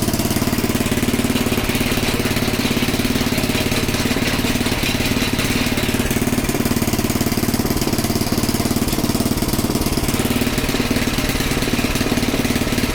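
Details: Small Predator single-cylinder engine (about 96–99 cc) on a front-tine rototiller, after the belt was tightened, with a new filter and a good plug, warming the oil: a steady, even chug with no misses or knocks; healthy.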